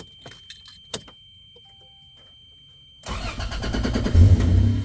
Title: 1997 Toyota Landcruiser FZJ80 startup rattle or knocking noise